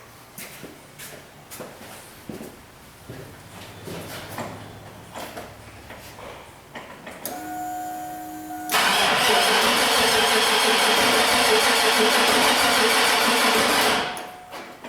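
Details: 2002 Chevy 2500HD 6.0L plow truck, almost out of fuel with a dead battery, no spark and no fuel: steady fast cranking for about five seconds that never fires. Scope still shows a crank signal.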